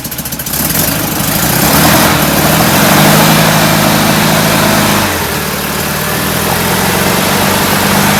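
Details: Enlarged performance VW air-cooled carbureted engine with larger air filters: loud, lumpy puffing idle at about 3.5 pulses a second plus revs; still running rich, suspected oversized idle jets, not confirmed.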